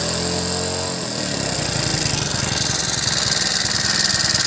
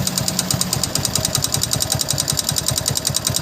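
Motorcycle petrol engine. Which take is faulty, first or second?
second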